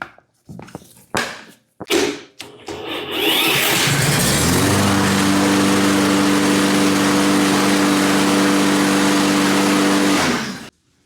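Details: Toro mower that wouldn't start: a few short rope pulls, then engine catches and settles into a steady even drone for about six seconds; running normally.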